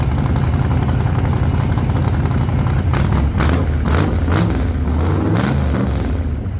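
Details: 1948 Chevy Fleetline small-block Chevy V8, 4-speed, test burnout after repair for pushrods breaking on first burnouts: deep loud roar held at high revs with tyre noise, even, no valvetrain clatter or ticking; normal healthy revving.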